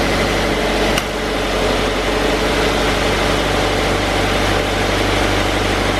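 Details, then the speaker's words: 2016 Subaru BRZ at 65k miles, started right after a spark plug change: it catches and settles into a smooth, steady, normal idle with no misses or hunting; radiator fans run because the AC is on. "sounds good it's idling pretty normal sounds good there goes idling where it's supposed to be fans kicked on because i have the ac on sounds smooth sounds good"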